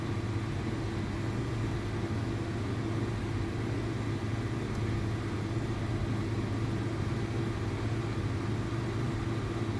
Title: VW Polo TSI 1.2 misfire and low RPM engine vibration